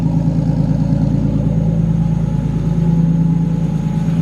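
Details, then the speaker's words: Nissan Skyline R33 drift car with RB25DET, first start after two-week teardown and rebuild, cold morning: deep, steady idle with even low hum, no misses, knocks or hunting; never held idle this nice, oil pressure good, runs smooth; normal idle. "It's never held idle this nice either. Wow. Beautiful, we got oil pressure, looks good too. That's wicked. It sounds so smooth, it runs amazing."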